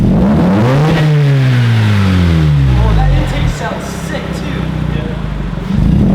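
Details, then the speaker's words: Mazda RX8 rotary, about 100,003 miles, revving smoothly with a clean, even exhaust note and no misfire after new spark plugs (coil 2 was misfiring); runs healthier, check engine light still on. "it actually sounds healthy and feels like it started it up way better than when i first got it"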